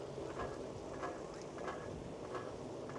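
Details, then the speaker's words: Newly self-assembled Lectric XPeak e-bike on first ride, motor assisting: light rhythmic clicking rattle about 1.5 per second with vibration under the seat. "Okay, guys, I am going to have to take this back home and figure out what that rattling sound is."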